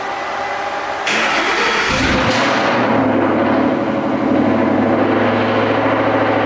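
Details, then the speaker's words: 700hp 2013 Mustang GT, sat 3 days, started after new pulleys, belts and spacer fitted; cranks, catches quickly, flares, then drops to a smooth steady idle without belt squeal or rattles. "Not that bad. That tune does wonders when it quiets it down quick."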